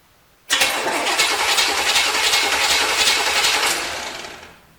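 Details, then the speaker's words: 1973 Chevrolet Corvette C3, non-running eBay car, battery connected to chassis only to jump the starter: even, steady cranking whirr with no grinding or clicking; starter turns engine over normally, ignition not yet connected. "we should be able to basically jump start the starter let's see what it sounds"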